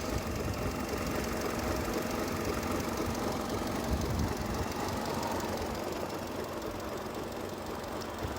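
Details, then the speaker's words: 2002 Mercedes A-Class engine at idle after running, before a planned cold-start test: rough, buzzy idle with a fast, uneven, clicky light rattle over the drone; owner says the vibration is new and the cause is unclear. "It's vibrating a bit. I can hear something like rattling, but it's vibrating. Can you hear that, Chris? Like a vibrating sound. It's definitely a... don't know. Sounds like a little clicky kind of vibrating sound."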